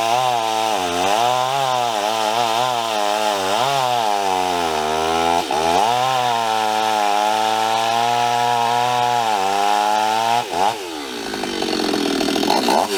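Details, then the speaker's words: Stihl 026 chainsaw with new 18-inch bar and chain, making test cuts in about 100-degree heat: saw bogs and sags in pitch, never holding a crisp high note; lazy, worn piston and rings losing compression. "on yeah she's a little lazy"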